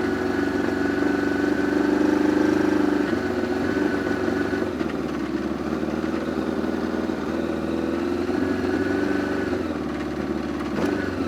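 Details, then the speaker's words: Two-stroke snowmobile after sitting, carbs on stabilized ethanol fuel: idles with a wavering, burbly beat and sags between blips, sounding rich and unsettled; owner says it was running really rich, suspects wonky carbs needing removal and cleaning. "seems like when they sit key had the same problem when these ones sit I if the gas drains out of the carbs a little harder to start like that but I do know that there's something wonky going on with those carbs so I'm going to have to take them out and clean them and uh because it was running really rich"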